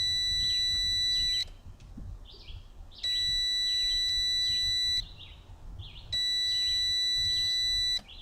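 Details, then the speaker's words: Evinrude 150 XP outboard, abandoned, no spark: continuity tester gives a clear high-pitched tone in long stretches that stops each time the key is turned off; kill switch circuit works fine. "All right, so I'm gonna turn the key and the beeping's gonna stop. You hear it beeping? Turn the key, off. Turn the key, off. That's what I was doing. turn the key, off. So the kill switch circuit works fine."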